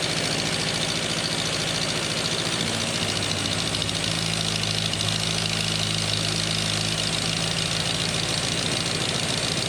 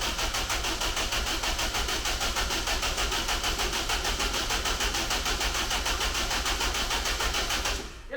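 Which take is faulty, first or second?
second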